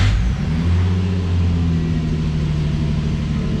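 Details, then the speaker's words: Infiniti G35 after spark plug tune-up, cold start: loud, fast high idle with steady low hum while checking live misfire data for cylinder misfires. "that is the first start so she may be loud it's gonna have a high idle"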